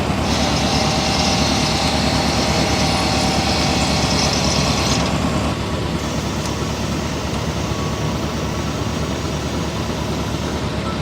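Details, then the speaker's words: Chevy Corvette C8 at about 1,500 miles, error messages since before 600, part not yet replaced; mic outside in a parking lot: loud steady grinding whir with high hiss as the front lift struggles to rise; owner thought air in lines, cause unconfirmed. "So as you guys can hear, it makes like a pretty loud like grinding noise, like, and it also like kind of seems like it's struggling to get up all the way."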